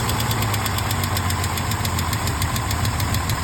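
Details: 1968 Mercedes-Benz 230 six-cylinder idling after a Zenith 35/40 INAT carburetor repair (stripped fuel inlet, rebuilt fuel return valve): light fast ticking at about three per second over a steady idle; the lifters have ticked for over 30 years.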